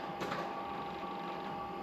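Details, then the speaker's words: LQ4/LS3 build, key-on priming while fuel lines are checked for leaks, and a leak is then spotted: thin, steady high whine for a couple of seconds. The fuel pump may have slowed down, or the battery may be running low. "let's try a couple more pumps cuz the fuel pump is slowed down we're losing our battery one or the other"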